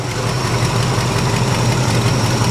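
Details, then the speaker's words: 1973 Plymouth Scamp idling after cooling system work, coolant now circulating: smooth even idle, steady low drone, no misses, knocks or ticks; engine running healthy. "she sounds good guys we'll be back in a couple minutes and we'll have a verdict for you"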